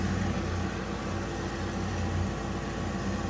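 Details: Weil-McLain HE boiler (integrated control 1013-200) firing: loud steady low drone with rough buzzy edge; technician says the blower motor sounds tired and vibrates on its mounts.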